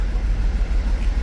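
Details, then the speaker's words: Mercedes Sprinter diesel van just after injector replacement and coding; deep idle with lumpy, uneven throb swelling and sagging, definitely missing; rough idle. "but they still loving itself but she's definitely missing"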